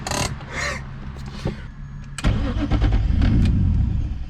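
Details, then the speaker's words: 500whp turbo M50 BMW E30, stalled in traffic: starter cranks with steady churning beat but engine never catches; no fuel pressure, intermittent fault that also occurred 20 minutes earlier at refuelling. "yep I have no fuel pressure again dude this also just happened 20 minutes ago when I filled up to get gas"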